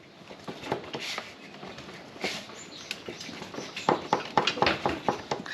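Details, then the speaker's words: KTM 1290 on stand, raised front wheel rocked by hand: sharp dry knocks about two a second from worn front wheel bearings; rider felt rumbling when stopping; bearings to be replaced. "you hear that knocking so that's the wheel knock in the wheel burns are shot"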